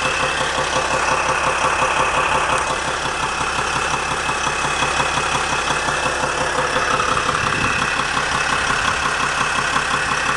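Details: 2007 Sprinter diesel at idle: a regular light knock, about three per second, riding over a steady engine note; owner suspects the torque converter, not confirmed.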